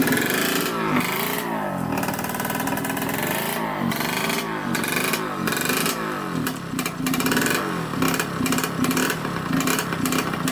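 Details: 1989 Yamaha YSR 50 two-stroke, sat for years, previously sputtering: revs, then keeps dropping out and catching again in uneven bursts, won't run steadily; engine cutting out, cause unclear, exhaust pipe restriction suspected.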